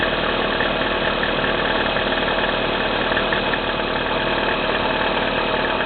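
A steady cold idle carries a faint, fairly regular light knocking, about two per second, over the engine hum; cause unclear.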